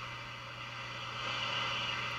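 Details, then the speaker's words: 1956-era radio being aligned, signal generator off, volume up: steady hiss with faint low hum swelling to a peak as the antenna trimmer is tuned for maximum noise; alignment lands correctly. "the antenna portion you can just tune for maximum static or maximum noise so I'll turn the signal generator off and I'll turn the volume up and I'll give you an example here"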